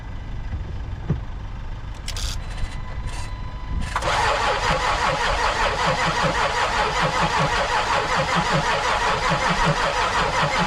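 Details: 2014 Land Rover Discovery 4 3.0 diesel, starter turning the engine over with a steady even chug about three beats per second but it never catches: crank, no start.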